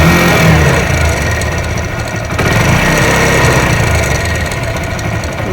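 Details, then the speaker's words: 15–16-year-old Hero Honda Splendor Plus, rebuilt engine with new timing chain, roller and rockers but old camshaft, started after sitting: fast light rattle over idle like a timing chain, normalising when warm; worn camshaft. "इसके अर तो timing चन के जैसा आवाज करता है यह problem कहां से आता है व हम आपको बताएंगे"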